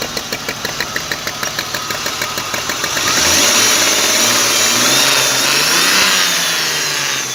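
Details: BMW E34 520i cranking with a regular chug about three times a second, then catching into a harsh, high-revving run with a metallic clatter; the owner reports an engine knock of unknown source.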